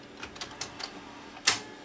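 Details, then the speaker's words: Sony SLV701 VCR entering play: light ticks while threading then one sharp click, the clutch releasing, showing the loading belt is correct; wrong belt tension gives no click and excess torque. "But that click, that's actually the clutch releasing. And if the loading belt is not correct, it won't do that click."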